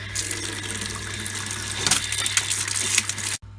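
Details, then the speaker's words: Workshop rainwater recycling pump after stripping and cleaning the pressure control diaphragm: steady pump hum with rushing water, then cuts out cleanly at pressure as it should. "There She Goes folks she's cut out jobs are good see if it cuts back in again straight away"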